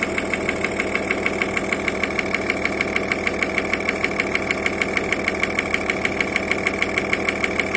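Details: Audi A6 C5 2.5 TDI AFB diesel: sharp regular metallic tick about three times a second over steady idle; unexplained knock, intermittent at idle but always present at higher rpm.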